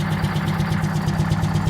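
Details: 1969 International 400 dump truck, Detroit 8V-71 two-stroke diesel, after freeing the injector rack and air-starting past a broken flywheel housing: heavy, even idle with steady fast beat and deep drone, no misses or knocks; running healthy.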